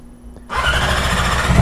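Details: Yamaha R6 motorcycle engine started back up after a DIY transmission bearing replacement and rebuild: brief starter whir, then it catches cleanly within a second and settles into an even run; a healthy, normal start.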